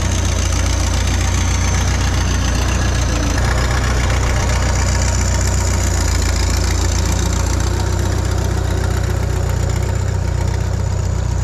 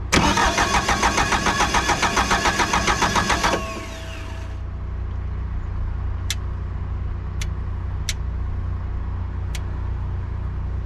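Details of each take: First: Bobcat 883 skid steer with a freshly installed remanufactured Deutz diesel: an even, deep diesel clatter holding steady speed with no misses or knocks, running solid and smooth; the boom cylinders are suspected of bypassing internally. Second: Bobcat 883 with reman Deutz diesel just installed, turbo pipe off, fuel cutoff wiring uncertain: starter spins steadily about 3.5 seconds at 3.5 beats a second without firing; cranks, won't start, cause suspected.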